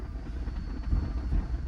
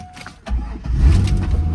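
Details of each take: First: 280k-mile C5 Corvette V8, six-speed, at auction, needing throttle pats to stay running: low steady rumble with no knocking or ticking; engine sounds solid and healthy though dirty. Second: Auction car on cold start: catches, then idle sags and surges unevenly, kept alive only by throttle blips; won't hold idle on its own, though engine otherwise sounds solid; engine is dirty.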